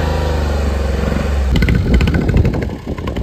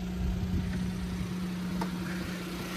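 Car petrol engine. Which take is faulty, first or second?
first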